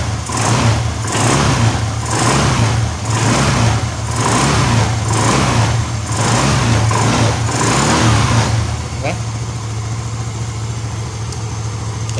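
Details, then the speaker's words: Yamaha Xeon GT125 scooter idling after cylinder block and piston kit replacement (it had smoked from the exhaust, probably from age): low, even beat with light throttle blips, settles smoothly, no misfire or rattle; no longer smokes, exhaust okay. "Hi, the sound is smooth, my friends. Hi, it wasn't blocked by the server. It just doesn't smoke anymore, Erin. The exhaust is okay."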